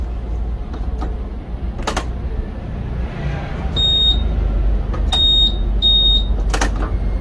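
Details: 2020 Honda PCX125 scooter with poor cold starts and stalling at stops, after valve clearance adjustment (intake 0.1 mm, exhaust 0.24±0.02 mm): chirp, prompt fire, then a smooth, steady low idle with no stumbling. Normal start and idle.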